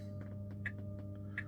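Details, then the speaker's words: Tesla Model 3 parked, coolant air purge routine running from service mode (thermal actions, about 10 minutes): quiet steady low hum with a faint constant-pitch whine as the coolant system purges air bubbles; fix for loud HVAC coolant whine when parked. "So as you hear this winding sound that you heard, that's basically the coolant system trying to purge itself of the air bubbles."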